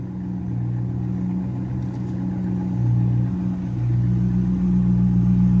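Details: C5 Corvette V8, rodent-damage rebuild finished: deep rumble climbing smoothly as revs build and settling cleanly, no knocks, ticks or misses; healthy.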